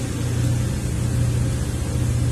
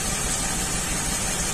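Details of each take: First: 2003 Ford Windstar 3.8 V6 after ignition coil replacement and codes cleared, idling. Steady even low rumble with no stumbles. Cylinder contribution test shows cylinder 6 now good: misfire fixed. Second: 2003 Ford Windstar 3.8 V6 that runs rough, with plugs and wires already replaced: a slightly uneven, lumpy idle pulse from a misfire. Cylinder 6 shows very weak spark, and the cause turned out to be a faulty ignition coil.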